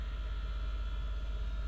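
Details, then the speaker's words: Truck heater unit, newly replaced blower motor tested alone; smooth, steady low hum with no wobble or rattle; normal blower fan running. "So I've got the fan motor on just to check the blower motor that I replaced. All it does is it blows air, just straight air, it's like a"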